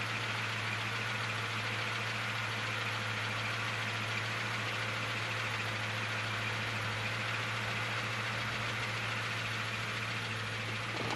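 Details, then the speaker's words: Camaro, manual, 155,000 miles, at idle; constant light whirring hum over engine that goes away when clutch pressed slightly, owner suspects throwout bearing, unconfirmed. "I don't know if you can hear that but it sounds to me like the throwout bearing [Music] might be making a little noise I don't know you hear it louder out here but you can push the clutch in just a little bit and it goes away"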